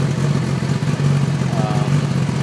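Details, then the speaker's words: 2011 Kawasaki Ninja ZX10R with newly installed TaylorMade exhaust, cold engine idling without revving, heard from the seated position: deep even burble, steady low pitch, no misses or ticking; clean idle. "This bike is cold right now, so I'm going to start it up and let it idle, but I'm not going to rev it up, simply because it's not good to do that to a bike that you just started."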